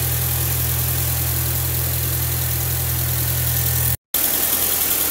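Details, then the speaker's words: VW B5 petrol engine, previously misfiring on cylinder 1 despite good compression and swapped plugs, coils and injectors, first start after a new camshaft: steady, even idle with no stumbles or missed beats; misfire fixed. "всё работает как часы ну все красавец победили"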